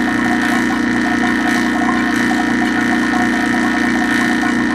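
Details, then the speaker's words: Vacuum pump evacuating a reach-in condensing unit after compressor replacement, thumb over pump outlet, low side pulling down toward 500 microns: even steady drone with soft throb about three times a second, no dips or surges; normal vacuum pump operation. "so I put my thumb over the outlet of the back your pump and you can hear that coming out and you can also see that is going down"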